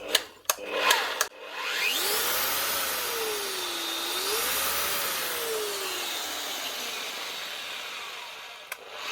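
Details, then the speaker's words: Metabo MFE40 twin-blade wall chaser on the bench: motor spins up with a wavering, rising and falling whine instead of a steady hum, running rough. "We'll run this one and see. Yeah, there's something wrong here already."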